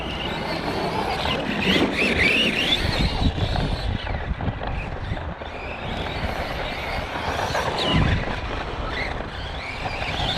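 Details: Arrma Kraton 4S RC truck doing track laps: over rough track and tyre noise a thin, wavering high whine rises with throttle; owner suspects a bad bearing or gear.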